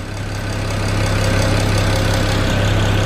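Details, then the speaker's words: 2008 BMW 335i N54 twin-turbo inline-six: steady, even low idle as the warm-up ends, with no sharp ticking. The high-pressure fuel pump tick goes quiet and the exhaust flaps open at the back; a normal warm idle. "there he knows that difference it went quiet and then you hear the exhaust flaps open around the back"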